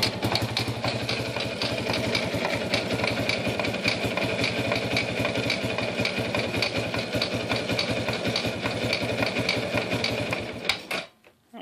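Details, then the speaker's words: Yamaha YFM100 Champ, engine running, clicks in gear but does not move, heard from the rear shaft-drive area: light, regular click three to four times a second; cracked drive shaft sleeve. "is that when he puts it in gear it just clicks clicks click click but it doesn't go anywhere"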